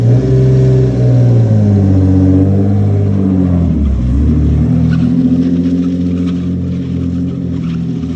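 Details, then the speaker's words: Lexus SC300, bought for $600, rolling around the lot after resonator refitted with welded stainless pipe: deep loud drone swells and eases with throttle, engine pulls evenly; loud but healthy. "it's all welded up now it's on there still loud you guys heard a little bit when I rolled around the lot but what you guys heard before was actual car it was no resonator so a lot louder it sounds more tamed"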